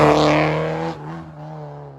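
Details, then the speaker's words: Early-1990s VW Polo CL coupe in neutral with clutch down; after a rev the engine holds a fast steady drone around 2000 rpm instead of settling; high idle. "my clutch is down I'm in neutral I don't know if you can hear that I'm idling at 2000 RPM I mean I'm no mechanic that's not good"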